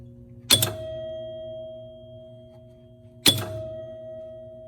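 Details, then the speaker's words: 1973 Bally Circus EM pinball machine under restoration, testing after hitting 1,000 points; two clean chime strikes about three seconds apart, each with a relay click, bonus advancing: normal chime and bonus advance. "So our bonus is advancing."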